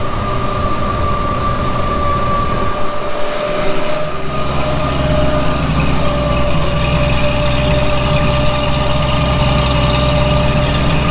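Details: 1954 Chevrolet 210 with 235 straight-six and Powerglide, great oil pressure shown: smooth, even idle with steady low hum, no knocks, ticks or misses; sounds healthy and settled.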